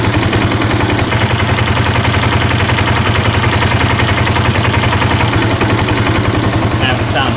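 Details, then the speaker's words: 2018 Polaris Sportsman ACE 570 after an oil pump chain replacement and an oil top-off: steady, even idle thump with no rattle or tapping. It sounds healthy, but the engine still burns oil and worn rings are suspected; normal idle. "got the oil tapped off down and it sounds much healthier hear the sounds"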